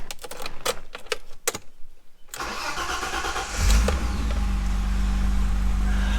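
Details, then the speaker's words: Dodge SRT-4 just bought, odometer reading 290,000 miles: a few sharp clicks and a brief crank, then the engine catches at once and settles into a steady idle; normal start, starts right up with no issues. "starts right up um no issues"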